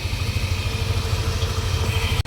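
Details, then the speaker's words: Yamaha Aerox scooter at about 20,000 km. It had a self-spinning rear wheel and shuddered on takeoff from a carbon clutch, aftermarket rollers and a partly grabbing clutch. After the CVT was cleaned, refitted with stock parts and a new seal: steady, even low rumble, no shudder. Normal idle. "นี่ครับทำเป็ดล้อหลังจะต้องนิ่งๆแบบนี้เลยนะครับการล้างชุดข้างที่ดีนะครับหรือชุดข้างไม่มีปัญหามันต้องประมาณนี้ครับ"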